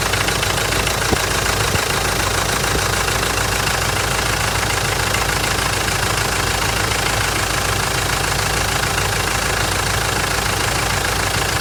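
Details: Mitsubishi 4M41 diesel on cold startup: steady, fairly regular knocking about two per second over the cold idle; cause not determined.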